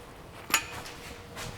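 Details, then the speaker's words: Car suspension making metallic sound while driving, upper coil spring moved by hand: two sharp metallic clinks about a second apart; broken coil spring with a piece of the top coil snapped off. "The sound is that I have now broken coil spring, and there is now situation that one part of this my coil in this upper one, there is one part even cut and it has been flied away, and that's my this coil spring is doing that kind of sound."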